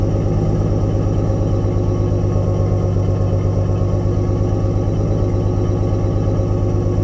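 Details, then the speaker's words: Nissan 240SX S13 with RB20DET inline six: uneven, loping idle stumble, running on five cylinders, noticeable under load; bad ignition coil suspected, before coil replacement. "I did notice the misfire coming in. You may have heard it in the footage. It seems to be definitely running on 5 cylinders as I kind of loaded it up coming up the driveway a little bit."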